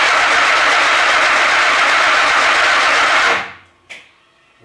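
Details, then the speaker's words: Chevy S10 race truck, first start attempt after engine rebuild with different cam; cranks about three seconds under a harsh buzz, never catches; MSD ignition box faulty, constantly triggering and arcing once ignition is on. "oh i'm gonna pause this because well the msd is boxes shot it it's literally as soon as you turn the ignition on it just keeps arcing"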